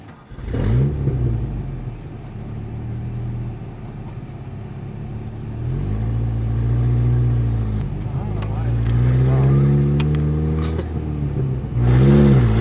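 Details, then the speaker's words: 1999 Mazda B2500 fitted with a restored junkyard 1999 Ford Ranger 2.5L engine, on its first real test drive: revs climb cleanly and repeatedly without hesitation. Pulls strong and healthy; later found to run very rich. "let's see the acceleration boys that is really good"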